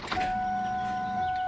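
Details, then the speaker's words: Car that cranks but won't start: after cranking, the fuel pumps keep running with a thin, steady whine at one pitch and no pressure buildup; owner suspects a fuel line pushed off or popped inside the tank. "and then as soon as I stop you're gonna hear the pumps continuing to run and they sound different which is weird ready listen here that doesn't sound like it's ever getting like resistance buildup I need to check fuel pressure"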